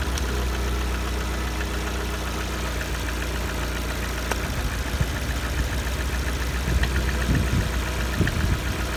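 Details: Lada Kalina 1.4 petrol engine at a steady idle at coolant temperature 70: a light, uneven tapping knock rides over the engine note; source unclear, and owner wonders whether an overhaul is needed.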